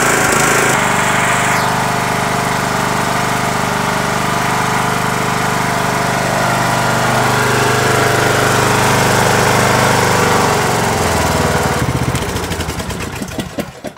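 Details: Yardworks 42-inch 155 series shift-on-the-go riding mower after fixing bad battery positive connection and ground, charging battery, new fuel filter, air filter and spark plug: engine catches, steady even drone, no misses, winds down cleanly; healthy.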